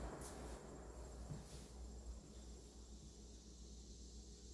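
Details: Vintage Emerson box fan, believed mid-to-late 1960s, after cleaning and motor oiling, intake mode on low speed: soft steady low hum, no rattles, ticks or scraping; smooth normal running.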